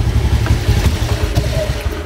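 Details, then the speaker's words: Honda Vario scooter before fuel pump repair, heard at the exhaust. It idles only, giving lumpy, uneven thumping, and dies when throttled. This can look like a TP sensor fault, but the fuel pump turned out to be the cause. "Nah tuh, bahkan langsung mati teman-teman di saat kita gas."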